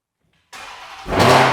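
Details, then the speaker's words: Crashed Dodge Hellcat SRT rebuild, first start after reinstalling the engine, on a jump pack after a flat battery: starter whirrs, the V8 catches and flares to a strong, clean rev. Normal start, no leaks, slight coolant smoke. "Yeah, it's good. No leaks so far. A bit of smoke, but it's just coolant."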